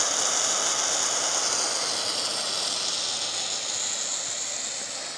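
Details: Antique steam radiator heater: very loud, continuous high-pitched hiss of escaping steam, fading slightly over time.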